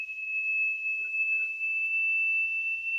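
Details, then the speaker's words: Aiwa AD-F500 early-90s cassette deck after transport repair and belts: the 3000 Hz test tone plays near 2578 Hz, so the tape runs slow. Speed is adjusted clockwise until the tone reads 3000 Hz. "3000 hertz. 3000 hertz. That's at 2578, so I'm going to twist this screwdriver clockwise."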